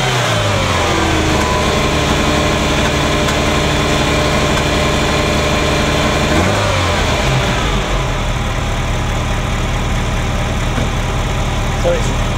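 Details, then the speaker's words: Ferrari Mondial V8 starting after a morning no-start: reluctant catch, as if trying to run backwards, then a rough, uneven thrum with irregular pops and bangs like an old marine engine. Timing mark not visible; owner suspects a sensor. Misfire on cylinders 5-8. "it's running rough, popping and banging. It kind of sounds like an old marine engine at the moment. There's a thrumming that there shouldn't be, so it's uneven."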